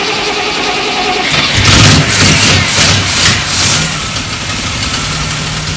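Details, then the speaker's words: Triumph Stag V8, first start after about 15 years unrun, carbureted: catches but runs with an uneven, stumbling, missing beat and won't respond to throttle because the accelerator pump jets aren't working. "wasn't running the best um I wasn't expecting it to um it was missing a little bit um didn't want to respond to any form of throttle really at all"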